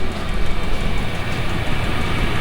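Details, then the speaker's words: Chinese diesel heater in a garage workshop running at full output after fitting a silencer: steady low rumble and even whoosh, no intake roar, quiet and not intrusive; normal running. "that's the noise that's making and that is an absolute full full chat is that from full bar that a that noise noisy at all not it's not bad you know walk away from it that's it's not intrusive at all"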